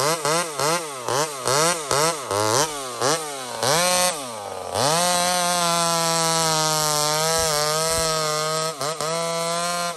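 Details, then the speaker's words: Small Homelite two-stroke chainsaw, described as 28 full house on a stock chain, cutting wood: several quick rev blips, then a steady, high, even scream while cutting. Normal running under load; healthy saw. "beautiful size of wood for that saw right now 28 full house stock chain so it's got way more potential to cut way faster it's a stock chain friends"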